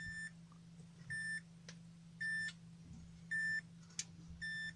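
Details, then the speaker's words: 800 W Gigabyte Aorus power supply after shorted MOSFET repair, on tester: short high beeps evenly about once a second over low steady hum, standby voltages lit; normal tester signal from a working supply. "the main chord is on turn on the power supply standby voltages light up and it's working it's working"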